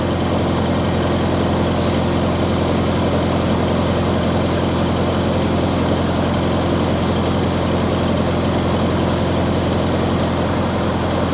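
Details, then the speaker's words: 1953 Farmall Cub started after sitting two years unstarted, warmed up at a little over 1800 rpm, temperature 160 and not running hot: steady, even low drone at fast idle with no knocks or misses; normal running. "sounds pretty good not running too hot 160."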